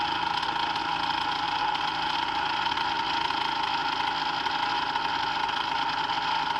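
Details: Brand-new Hangkai 3.5 HP two-stroke outboard (30:1 premix) just started, in neutral: steady high-pitched idle, even and unbroken throughout. It is running normally.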